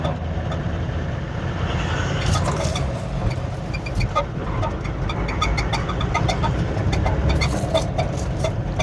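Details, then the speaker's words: 2018 Toyota Land Cruiser pickup, 1VD 4.5 diesel, road test in second gear with light throttle: runs rough with uneven thumps, missing and knocking, low power; faulty injector suspected (leak or blockage), to be tested. "दूसरा gear में हल्का accelerator के साथ missing आ रहा है। Knocking भी आ रहा है। तो इसका मतलब ये है कि जो इंजेक्टर है ये प्रॉपर काम नहीं करता है।"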